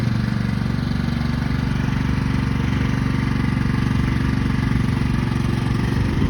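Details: Craftsman manual-drive lawn tractor, 15.5 overhead-valve engine, revived after about 4 years in a shed: steady, even single-cylinder thump holding speed under cutting load, no misses or knocks; engine running healthy.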